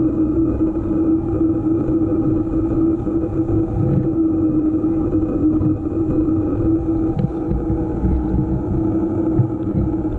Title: EVO GP PRO humming noise